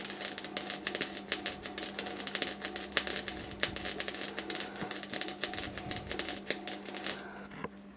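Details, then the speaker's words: Bike frame repair welding on a sheared bottom bracket: MIG arc crackle surges and drops out instead of a steady frying sizzle because the wire feed is pulsing, making the puddle hard to keep going; cause unclear. "I don't know if you can hear it, the wire feed's awful, it's pulsing. So I'm struggling to keep the puddle going."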